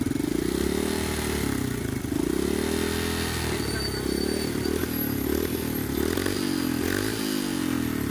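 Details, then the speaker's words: Honda RS 125 single-cylinder motorcycle: uneven clattery knocking over exhaust note; mechanic says piston overlapping, needs top overhaul to check all problems. "Yung piston mo nag-overlap. Kaya ayan, mapansin mo may ingay. Ayan. Nag-iingay. Nag-overlap yan."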